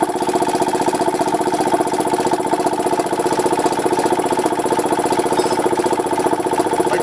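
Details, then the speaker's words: Goodyear 20-gallon oilless air compressor on an old salvaged replacement motor: lazy, labouring chug of about three beats a second; it nearly stops when the belt is tightened; owner believes the old motor is no good. "it seems to uh go a little bit faster after it's had a rest for a little bit I put the screwdriver on and it goes it's almost stops so needs a little work"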